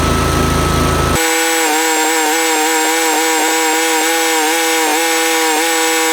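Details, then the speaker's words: Yazoo MidMax 52 mower deck run without blades after installing cheap replacement spindles with the thinnest spacer: brief odd noise, then steady high whine with slight regular wobble, no belt slip or smoke; spindles hot but deck runs normally. "alright I think that's pretty good pretty good test we didn't smoke the bell tinny"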